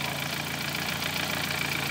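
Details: 2013 Dodge Forza misfiring with no misfire codes; coils checked by primary waveform: rough, stumbling idle pulse. Cylinder misfire.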